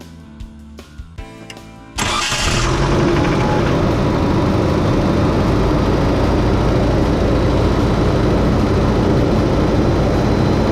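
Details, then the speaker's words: 30-year-old engine after refitting a loose Weber carburetor with Loctite: brief cranking, then catches at once and settles into a steady, even run, purring like a kitten; normal engine start. "all right guys get away here from the engine noise a little bit so far so good sounds like she's purring like a kitten as good as i expect this 30 old engine to do"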